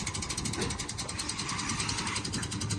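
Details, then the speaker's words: 1994 Toyota 4Runner, coolant-covered underneath, running while loaded onto a trailer; lumpy uneven idle, firing on about two cylinders; owner suspects head gaskets or a whole engine; cause unconfirmed. "it's definitely got something seriously upset in the engine so it's running on what sounds like about two cylinders but she got onto the trailer under her own power"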